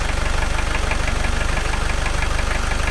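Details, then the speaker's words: Volvo Penta diesel, starboard engine of a Fountaine Pajot catamaran, after replacing the exhaust elbow and turbo to cure a shudder: steady idle with even firing pulses about twice a second, no knock or rattle. It runs smoothly and is quieter than before. "well I tell you it's quieter than it was"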